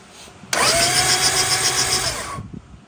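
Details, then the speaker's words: 1975 Honda Civic CVCC: two-second starter whirr with uneven chop, crank turning freely but not catching; alternator suspected seized, belt to be removed; cranking, no start. "Hit the key so they can see. You can see the crank is turning now."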